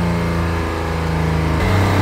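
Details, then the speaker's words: 2016 Honda Pilot 3.5 with code P2652 and check engine light on; rocker arm oil pressure sensor reads 0.74 V. Right after start, the engine goes straight to a high, elevated drone and climbs without throttle. High idle from faulty rocker arm oil pressure switch. "this engine is going straight to high RPMs as soon as you started"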